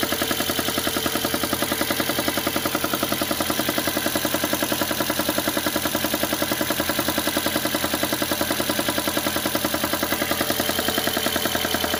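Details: VAZ engine idling cold with an even, light knock about two and a half times a second. The knock disappears once the engine warms to about 50°; the cause is unknown.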